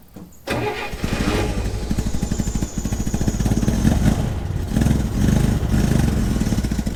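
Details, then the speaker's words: Corvair rally car engine after 500 miles of gravel rally, single exhaust: starts into a lumpy idle with a quick even tick on each firing pulse, heard on right side; exhaust leak or lifter tick suspected, not confirmed. "I have to be careful because I hear the tick on the right side and I feel like, oh, it's got to be the right cylinder bank. But I have to remember it's a it's a single exhaust."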